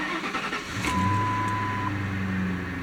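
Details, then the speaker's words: Car at 151,610 miles, started on a 49-degree day. A short crank catches immediately and rises smoothly into an even idle: normal engine start. "fires right up always close the door so we can do the wipers"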